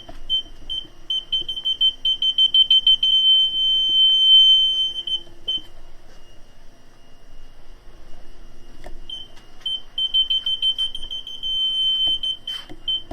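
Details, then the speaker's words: Fiat 500C convertible with newly installed aftermarket rear parking sensors, ignition on and in reverse. A high, rapid string of beeps in bursts of about three per second with quiet gaps: the sensors are working as intended. "So as you can probably hear, they're working."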